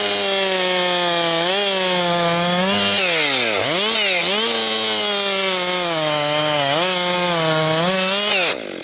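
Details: Rebuilt Husqvarna 262XP two-stroke chainsaw breaking in, compression up, bucking dry, partly rotten pine: howl sags as chain bites into log, snaps straight back to full revs; strong, healthy running under load.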